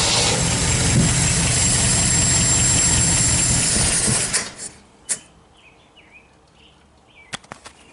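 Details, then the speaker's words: 1977 MGB engine, first start in years after wiring changes, on starting fluid, carburetor still needs cleaning: regular even beat about four per second for several seconds, then shuts off; runs cleanly. "actually sounds pretty nice do we blow anything out the back"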